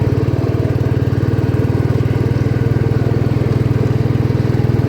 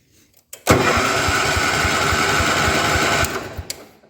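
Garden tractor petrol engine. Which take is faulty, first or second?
second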